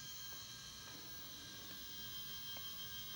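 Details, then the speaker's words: Toshiba T4500C laptop with a P30 error, powered up with the hard drive hooked up: steady high-pitched whine, faint hiss and soft ticking about three times a second. Hard drive spins normally and the laptop has power, though the display is faulty. "But the computer has power now because the hard drive is turning on, and we have a on signal here and some strange faucet, whatever that is."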